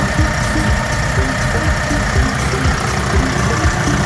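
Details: Doosan G2 forklift engine after repair: earlier rhythmic knocking traced to one cylinder 1 intake valve not opening with a bent pushrod and heavy carbon, head machined and injectors repaired; now idles with a steady, even low rumble, no knock.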